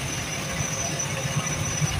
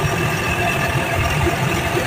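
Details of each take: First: Package AC blower after bearing service for noise: a steady airy rush with a faint high whistle and no grinding or rumble, noise about 90% gone. Normal blower operation. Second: Package AC unit after service, with a noise complaint: steady low rumble with a rough hiss and a faint thin whine on top.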